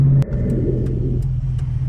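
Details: 1998 Ford Mustang GT 4.6 SOHC V8 with new tubular headers and stainless X-pipe exhaust, on road under load: deep, even rumble holding steady throaty pitch under throttle, no rasp or tapping; exhaust sounds healthy.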